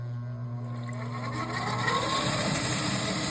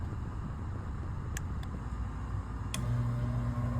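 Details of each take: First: Furnace inducer motor at start-up: rising hum with faint gurgling water sloshing. Water is in the inducer housing because a likely never-cleaned condensate drain trap and tube are blocked. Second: Furnace inducer motor after the clogged condensate drain trap and tube were cleaned: smooth, even whir with no water sloshing, rattle or gurgle; much quieter, running normally.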